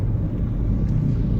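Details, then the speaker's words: 2018 Ford EcoSport, 1.5 three-cylinder Dragon engine, road test after repairing an upper-engine noise caused by a wrong oil change: smooth, even low hum on the move, no knocks or ticks, some wind rush. Normal running. "Graças a Deus tá tudo em ordem o motor perfeito tá macio não tem barulho Nossa o motor muito bom esse motor novo da Ford ele não vibra tanto"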